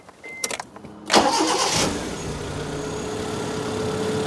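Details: 2002 Proton Wira after new fuel injectors fitted and old ones cleaned to cure poor running and misfire, started on a long-uncharged battery: a few clicks, quick start, then even, steady idle without stumble.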